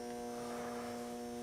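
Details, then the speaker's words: Bluetti AC300 power station with B300 battery on AC charging via touch screen: quiet constant electrical hum at fixed pitch, no crackle or buzzing; charger running normally. "Now this will be AC charging, so we'll go on my touch screen, hit the AC, turn that on. You can hear the battery charger. It's now running."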